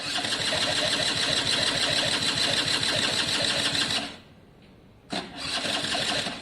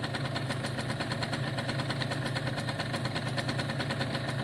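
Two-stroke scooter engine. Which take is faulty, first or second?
first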